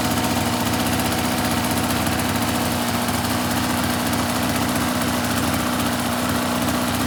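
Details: 2004 RMK 800 two-stroke sled with SOP exhaust, Boyesen reeds, one cylinder at 120 psi compression; steady even idle with smooth crackle, no misses, knocks or hunting; healthy idle.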